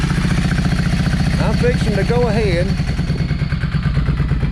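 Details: Yamaha 650 V Star, sat dusty for a while, on choke: uneven lumpy beat with gaps, front cylinder not firing and building hardly any heat while rear gets hot; carb problem.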